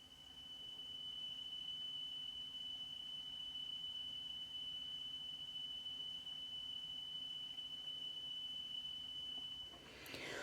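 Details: 3 kHz test tone played on a Sony La Scala TC-S1 cassette deck gives a shrill whistle wavering in pitch, with the tape seeming to speed up and slow down in a particular rhythm: severe wow and flutter.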